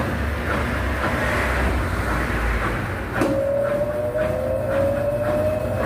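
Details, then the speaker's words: Brastemp BWH15 15kg washing machine, after adding foam where the tub contacted the cabinet to cure loud spin noise (not the bearing): steady whooshing spin with tone rising as drum speeds up, no heavy banging — noise much reduced, normal spin. "a gente já percebe que já barulho diminuiu muito, né? Ela tem, claro que ela tem um barulho, né, pela própria vibração da máquina, mas aquele barulho alto onde incomodava até já diminuiu muito."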